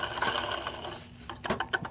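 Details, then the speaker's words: 2008 Dodge Charger with a crank-no-start and a leaking water pump: turning the pump shaft by hand gives a gritty, sandy rasp. The bearings are nearly shot and the pump is being replaced. "now you can hear the water pump when i work them on the shaft and listen to it those bearings about shot sound like sand is in here"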